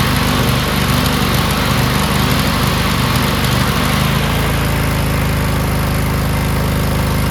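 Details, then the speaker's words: Newly rebuilt Craftsman DLT2000 riding mower V-twin started after tightening screws. Loud, steady drone that settles smoothly within seconds. Normal running, though fuel was soon found leaking from the solenoid onto the hot muffler and a fire followed. "sounds pretty good. Check for leaks."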